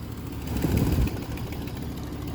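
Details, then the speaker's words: 2003 Trailblazer 5.3 aluminum V8 idling after first start: steady low idle with a faint, quick tick on top; owner suspects a couple of stuck lifters, not confirmed; valve train ticking. "Yeah, it sounds like a couple lifters are stuck. That's right in here."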